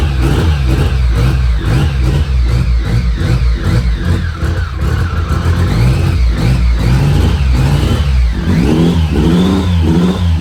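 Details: BMW K75 restored motorcycle after fixing a damaged track and an intake vacuum leak: engine picks up cleanly through repeated blips and settles back smoothly, no stumble or misfire; running healthy.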